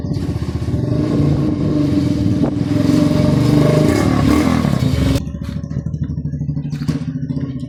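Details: SS-X200 motorcycle, previously hard-starting and misfiring with a crushed bendix starter drive, now repaired. The engine revs up strongly, holds a steady rev, then drops back to an even idle with no misses; running normally again.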